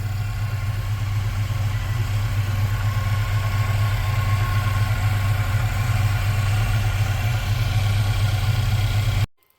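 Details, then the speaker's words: 1979 GMC C15 pickup, barely warmed up at about 70 degrees, at idle before shutdown. Owner notes a bog, possibly the carb needing cleaning or the lack of warm-up. Smooth, deep idle with no ticking or clanging, then it shuts off. Normal idle. "Alrighty, guys. It runs. The 79 runs really well."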